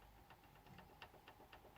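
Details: Blueridge acoustic guitar with cheap press-fit tuners: light irregular clicks about four per second as the tuners are tapped; one tuner button is loose and rattles.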